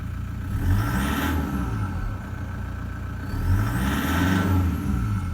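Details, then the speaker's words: Toyota Prado 120 1KD-FTV diesel with good injectors, suction control valve replaced, clean air filter and sensors, cold engine in cold weather: two quick blips with light diesel rattle; normal for a cold 120. "sounds like it's got a bit of a rattle there cold weather cold engine you're going to get that especially in a 120"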